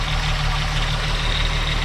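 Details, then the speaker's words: 2001 US-spec VW Jetta VR6 wagon at idle with the hood open: an even, fast light ticking over a steady idle; owner can't tell whether it's timing chain noise or the auxiliary pump; unconfirmed. "And I can't tell if that's chain noise or if that's the auxiliary pump right here."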